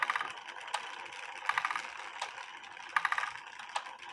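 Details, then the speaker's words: Eli Terry groaner clock, heard with the beat amplifier off; soft wooden clicks in small clusters at steady spacing under faint hiss, not much noise, ticking normally. "It doesn't make that much noise with the beat amplifier off. But then again, I'm deaf."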